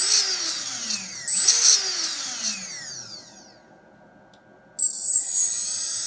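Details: RS2205 motor: high-pitched screech over the motor's whine, falling as it spins down, then the shrill note returns on restart; motor screeching.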